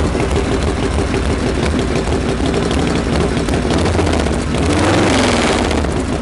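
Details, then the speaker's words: Freshly reassembled Harley Knucklehead, stone cold after kick start, choke open, not yet dialed in: uneven loping idle about three beats a second, stumbling before a brief rev; rich-running cold idle, mixture then leaned slightly. "I guess we can lean it out a little bit too that's better"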